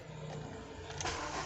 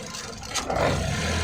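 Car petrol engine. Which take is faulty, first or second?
second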